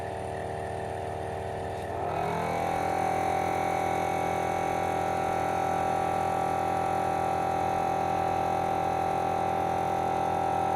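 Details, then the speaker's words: Forward FW 361+ hot plate separation machine vacuum pump after repair for loud noise (about 100 dB before): spins up after a brief rough start, then steady even hum, no knocking; suction changes level about 6–8 dB; normal pump running. "so as you can see the the difference in decibels was about six to eight decibels with suction created on the top versus no suction created"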